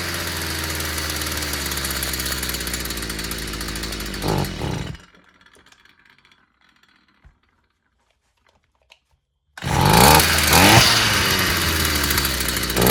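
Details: Stihl FS 55 brushcutter, previously not starting despite new plug and carburetor, after clearing a clogged exhaust: high buzzy two-stroke runs steadily, pauses a few seconds, then picks straight back up; running normally.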